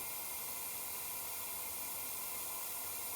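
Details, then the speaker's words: BMW N55 boost leak test, engine off, intake pressurized with tester: constant sharp hiss of air escaping at a charge pipe connection; T-bolt clamps suspected, worm clamps recommended. "also leaking on this connection I have I put my hands is anything I could feel the air coming out I have it as tight as I can it hat it might have something to do with these clamps"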